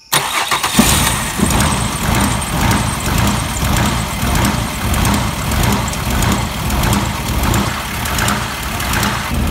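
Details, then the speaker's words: 2006 Mazda 6 3.0 L V6 after DIY spark plug and coil work, used throttle body and pedal fitted, unstarted for 24 hours: cranks and catches, then idle swells and sags about once a second; surging idle. "I have a surging issue at idle"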